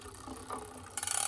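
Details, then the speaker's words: Shimano rear derailleur with cable tension deliberately increased, gear not shifted: while pedaling, a fast bright ratchety rattle as the chain sits off-center and rubs the 4th sprocket. "It's actually making a noise when I'm pedaling. You can hear the chain. As you can see, it's not quite in the center. It's actually making a noise and rubbing on the 4th gear."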